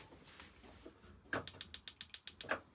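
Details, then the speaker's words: 2025 Grand Design Transcend 151BH camper two-burner stove, gas off with some left in line: pushing the knob gives about nine sharp, evenly spaced igniter clicks, then a soft whoosh as the burner lights; igniter working normally. "Whenever the gas up front is turned on, and you want to light, just grab the handle, push it in, and you can hear the clicking."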